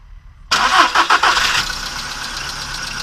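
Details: VW Polo Sedan on Lukoil Genesis Armortech 5W-40, about 5,000 km on the oil, cold start after two days parked, phone near engine with hood closed; brief clattery ticking in the first second then steady idle; owner suspects hydraulic lifters or noisy idler rollers.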